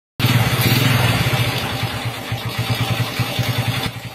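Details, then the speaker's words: Honda Revo Fit New / Supra (C series) motorcycle idling unevenly, with a dry clatter over the low thump from a slack cam chain, shown with the sprocket cover open before replacing the chain. "Nah di sini kita bisa lihat untuk rantek ketengnya itu udah kendor seperti ini ya teman-teman dan suara"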